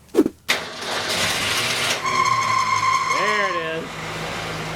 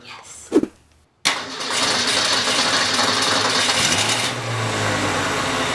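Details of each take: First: 1965 Ford Falcon V8 with a new engine: loud steady high belt squeal for a couple of seconds on cold start-up from slipping belts. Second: 1965 Ford Falcon with new engine, start-up after tightening both drive belts and fitting a six-blade fan: cranks, catches and settles to an even idle with no belt squeal; the start-up squeal is fixed.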